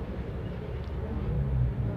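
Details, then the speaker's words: Cosmos wall-mounted fan switched on: steady low mains hum with slight buzzing vibration but blades won't turn even when pushed; bulging 1.5 µF run capacitor, fixed by replacing with the original rating. "Coba kita bantu putar kanan dan kiri ternyata tidak mau Hai bergetar tapi tidak berputar-putar"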